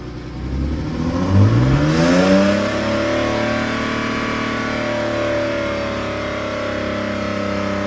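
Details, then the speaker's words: Car with newly fitted welded exhaust line revved to about 4000 rpm in an enclosed, echoing room, measured 86.3 dB: clean smooth climb holding an even drone; exhaust healthy and steady. "T'étais à combien là? 4000 tours. À 4000 tours, dans une zone fermée, t'es à 86,3."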